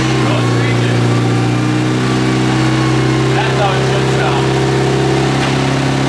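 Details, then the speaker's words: Freshly rebuilt Nissan KA-T (turbo KA) engine on its second heat-cycle break-in run after first start, idle air control valve now plugged in: steady, even idle with a smooth low hum, no knocks, ticks or misses; runs really good. "we got that good it sounds like it's running really good that was our second heat cycle"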